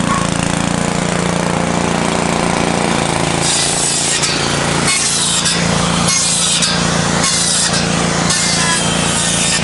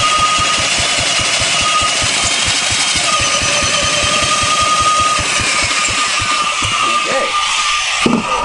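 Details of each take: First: 1970s Briggs & Stratton generator built for Princess Auto: holds a steady drone with no stalling or hunting while repeated saw cuts load it; the engine runs fine under load. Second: 1970s Briggs & Stratton four-stroke generator engine built for Princess Auto, tried with and without choke: steady chuffing about five strokes a second with no firing; cranks but won't start. Fuel is present; no spark at the points; condenser questioned.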